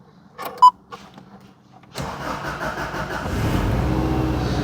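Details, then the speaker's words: JDM Subaru Impreza WRX STI from the 1990s, after throttle body cleaning: a couple of beeps, then it cranks, catches at once and settles into a steady, even idle; normal engine start. "All right, at least it starts for now."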